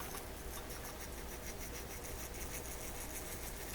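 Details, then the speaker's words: Toshiba RC-803F digital flip clock radio's clock motor during restoration: low steady hum with a dry, scratchy rasp from a worn-out motor bearing. "Getting a little noisy. Worn out bearing. Hear it?"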